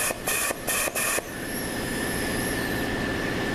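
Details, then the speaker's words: ZF 5HP24 transmission with no reverse when hot, C clutch air-checked at about 150 psi with worn bushings. A steady hiss with a faint thin whistle is heard as air escapes past the worn bushings, and the clutch barely applies, unlike the solid E clutch. "Okay, the clutch isn't even applying. Well, a little bit now. And I'm pumping about 150 pounds of air in there."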